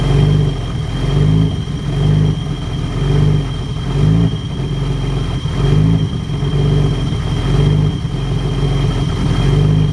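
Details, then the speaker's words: BMW E30 with hard starting and flooding, fuel and temperature gauges wandering until warm: idle rises and falls about every second and a half, stuttering and loping; idle surging, cause unknown. "Here it kind of sounds like it's surging a little. So if anybody knows what would cause that, it's like it's stuttering, like up, and like it's got a now it's loping."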